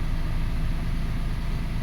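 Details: 2005 Toyota Passo idling after its bad ignition coil ground, the cause of an intermittent no-start, was fixed; steady, even low idle with no misses, stumbles or knocks, firing cleanly; normal idle.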